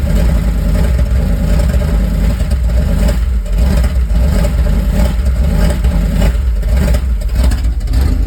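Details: 1978 Dodge van with 440 V8, sitting 30 years, first start after new oil pump, water pump and alternator: deep, steady rumble holding an even idle with slight swells in revs; healthy running.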